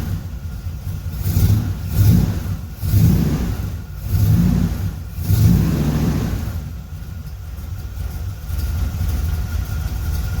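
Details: 1976 Corvette Stingray V8, sat 8–10 years, fresh fuel, new filter, fresh oil, freshly started: slow idle that surges and sags every second or so, nearly stalling. Idle speed set too low; idle screw to be turned up with a screwdriver.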